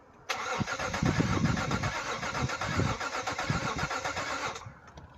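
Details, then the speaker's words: 2012 BMW X5 no-start, other shops said it needs an engine: uneven, lumpy cranking about four beats per second without catching; one or more cylinders suspected low on compression, relative compression test next. "So I don't know if you guys heard that, but it sounds like if there's one or multiple cylinders that are out of compression."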